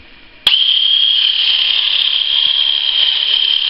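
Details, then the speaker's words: Fully charged Philips cordless rechargeable electric shaver, before modification, switches on to a steady thin high whine that never builds speed. Low motor RPM makes shaving slow, so the motor is running slow. "you hear that it does not spin very fast so it takes an extremely long time to shave so i'm very unsatisfied with the rpms it has and that's fully charged"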